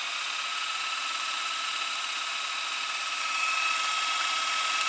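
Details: Toshiba M659 early-1990s VCR rewinding: smooth, even high whir holding a steady pitch with no catches or squeals; normal rewind.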